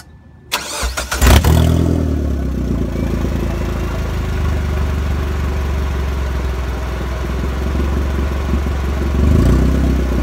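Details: Mazda Protege turbo build, winter beater with O2 sensor and cat unhooked, minor oil leak: starter whirs briefly, engine catches with a rev flare, then settles into a steady, even idle; clean start and healthy idle.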